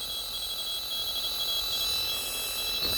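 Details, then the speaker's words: Homebrew receiver with only a short piece of speaker wire as antenna: hiss with a thin whine and choppy chirps while tuning down; signals audible but the rotary tuning encoder's noise still leaks into the audio. "so as we tuned down here we can hear some signals but still hear that encoder noise"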